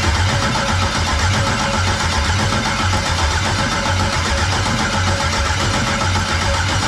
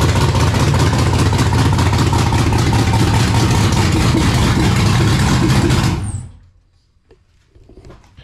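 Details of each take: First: 1999 Firebird with an LS LM4 swap, first start attempt on a makeshift fuel system with wiring unfinished: steady starter cranking rhythm, never catching or firing. Cranks but won't start; no fuel pressure. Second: 1999 Pontiac Firebird with swapped LS LM4 V8, first start on makeshift fuel system (factory V6 pump feeding truck fuel rail), no cooling system, untuned and running very rich: steady even V8 beat at fast idle for about six seconds, then clean shutdown; engine runs.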